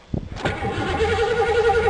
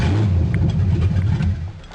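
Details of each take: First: 1982 Ford Granada, battery fitted: starter spins to a steady whirring crank, but there is no fuel pump hum beforehand and the engine never catches; crank no-start, fuel pump suspected dead. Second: 1982 Ford Granada starting after new fuel pump and fresh gas: engine catches, revs briefly, settles with deep even exhaust, no knock or miss; might be a little rich but runs normally.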